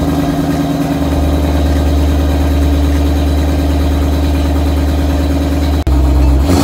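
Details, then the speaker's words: 2008 Ford Mustang GT Bullitt idling after sitting almost 3 weeks and being started with the help of a battery charger: steady even idle with a deep constant drone and smooth pulse, no misses or rattles; it runs healthy. "okay guys I'm super happy the car started right up so I'm gonna start using this car pretty soon"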